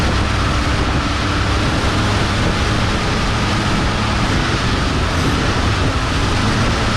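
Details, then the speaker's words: Abandoned 1971 or 1972 Ford Mustang, long sitting at a wrecker's, fired on fuel poured down the throat with a booster pack: steady, even V8 rumble at idle, no knocks or misses; running normally. "sounds good it does sound good here she [Music] comes just going to sit there and idle now because I don't have any Keys"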